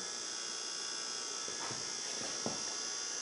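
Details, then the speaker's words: Xerox Alto monitor on test board: thin high whine with rapid ticking about four per second as the power supply keeps resetting, caused by changing the tester's wiring. "we were actually uh wrong and caused uh the bad noise you heard in the power supply resetting by uh changing the wiring of the tester"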